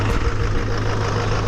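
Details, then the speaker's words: Chevy/GMC Duramax diesel truck in cold weather with a slight charging issue, just started after being jumped, oil pressure up to 80. Steady, even low diesel rumble at idle, no knocks, ticks or squeals; alternator and engine sound healthy. "Alternator's doing good. Engine sounds good."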